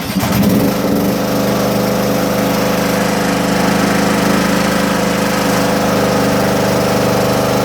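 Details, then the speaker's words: John Deere mower, cold start on a 47° morning after sitting with a weakening battery that makes it crank slowly: small single-cylinder catches after a brief crank and settles into a steady, even run, no misses or knocks; warming up normally. "As you can see, she's back running again, which is good. So, I figured I'd take a little boot there. Let the motor heat up."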